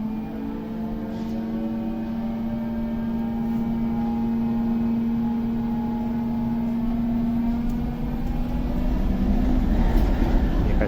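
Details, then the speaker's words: TEP70 0237 locomotive V16 diesel at first start after repair, not yet warmed up after 2–3 minutes running: smooth, even low idle with no knocks or misses and little smoke. "Ну, дизель еще не нагрелся, он поработал у нас 2-3 минуты. Ну и дыма практически нет после ремонта. Работает как тихо. Красиво."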